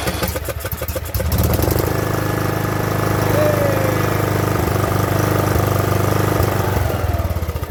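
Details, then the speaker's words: Craftsman LT2000 riding mower that sat about a year and ran rough with surging, after the fix and primed with gasoline: engine catches and settles into a steady even idle with no surging or popping, slightly low; idle screw adjustment next. "the idle seems to be a little bit low like i said there's an idle screw right on here"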